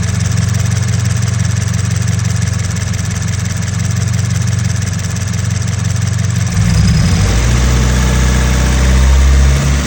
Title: 2014 BRZ engine rattle sound.is this normal? #86 #brz #frs